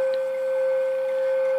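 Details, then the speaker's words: Tram D201 hand-wired CB radio on SSB receive, volume high, during alignment core turning: steady pure ringing tone at one pitch, squealing oscillation; microphonic tube picking up chassis vibration. "it vibrated to chassis just enough that this harmonic tube actually it's starting to squeal there there so turn the two turn the volume back down it goes into an oscillation"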